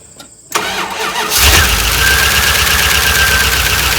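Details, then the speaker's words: 1988 Dodge Ram W150 4x4 with TBI, first start of year after long without battery, weak battery, gasoline with touch of oil added; steady fast cranking about three turns a second without settling; ECU learn cycle expected; long crank, no start. "it hasn't had a battery in it for a long time so the learn cycle on the ecu has to happen it's going to take a bit"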